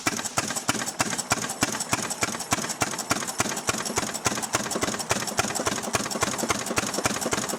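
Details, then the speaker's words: Restored 6 hp Fairbanks Morse Model Z stationary engine just hand-cranked to life on kerosene: sharp exhaust pops about three per second, loosely spaced like a governed engine, firing strongly; normal, healthy running. "Alright folks, there we are. Got it running now. It's running on kerosene."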